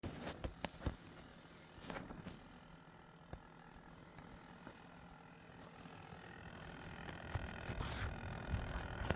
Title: Lian Li Galahad II Trinity Performance - Pump Rattle / noise issues